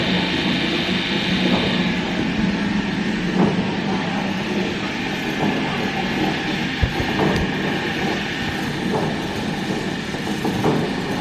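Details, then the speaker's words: Lifted limo golf cart, rear wheel spun with a bar against the lug nuts. Steady rumbling grind with clicks from a worn driver's-side rear axle bearing; the whole rear end is to be replaced. "sounds like it's right there that sounds like a bad axle bearing so instead of pulling these axle tubes out we're just going to replace the whole rear end"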